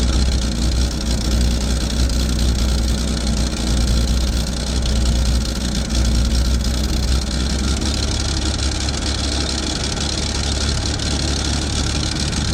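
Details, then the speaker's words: Chevy II Nova with a 250 six from a '67 and swapped-in Rochester BV1 one-barrel carburetor, exhaust unrepaired: low, fairly even idle with a slight lope but no stumbling or loading up; slightly better than the old carb; normal idle. "h well it's not that bad seems to run a little bit better than the other one not much but it's not loading up or anything"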